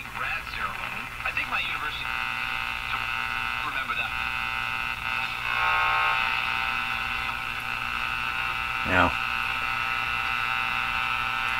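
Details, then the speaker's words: Northern Electric Baby Champ tube radio: constant hissy crackle with thin buzzy hum, unchanged while tuning across the band, dropping when a station is tuned; suspected interference at the IF frequency leaking from antenna to speaker, not confirmed. "as I tune across the band you can hear kind of the same noise the whole time that that that that sound not changing"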